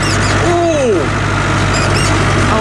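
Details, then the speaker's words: Tractor rowing up hay: high, thin squeaks come and go over the steady diesel drone. The seat squeaks under movement and has long needed fixing. "I've got to fix the squeak on this seat sometime. Some people mentioned it a while ago. I've forgotten how squeaky it is."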